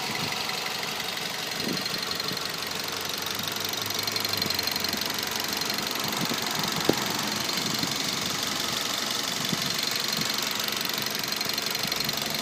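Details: Mazda 3 2.0 at idle: a sharp ticking knock repeats about three times a second over the engine hiss, a knock inside the engine.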